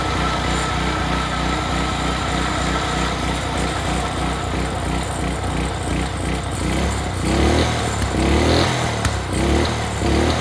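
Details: Early-to-mid-2000s Craftsman brush mower, sat 3 years, carburetor cleaned, old oil still in: single-cylinder engine puttering steadily, slightly uneven but no knocks or misses; runs great.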